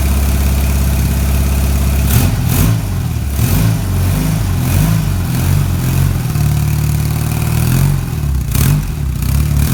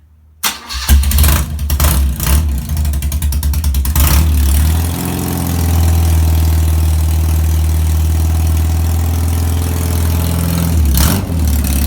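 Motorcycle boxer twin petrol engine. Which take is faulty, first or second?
second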